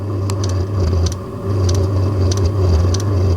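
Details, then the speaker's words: Diesel heater carbon-clogged after a night on used HV46 hydraulic oil, just relit on diesel settings: low, uneven burner roar surging and sagging, scattered sharp ticks, a bit of smoke. Running rough; owner thinks a long hard run may clean it out. "Right, she's just started pumping fuel. It's not sounding great, but it's lit."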